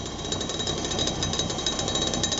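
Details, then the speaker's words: 1986 Clean Burn AH 86 140k BTU waste oil furnace, pump about 32 psi, steel target plate heating: fast even buzzing rattle over the steady flame roar; slight combustion rattle, adjustable via air collar and oil/air mixture. "Rattles a little bit, so I can adjust the mixture basically with the air collar, with the amount of air being injected and the amount of oil being injected."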